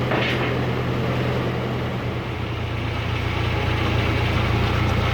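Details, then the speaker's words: 1940s tractor, warm, in neutral after a shifter-related noise went away: steady fast even idle with low rumble, above the roughly 400–500 rpm expected; idle speed needs turning down. "still seems like kind of a high idle rpm but i'll keep finagling with that you know if i remember right they're supposed to be down around four or five hundred"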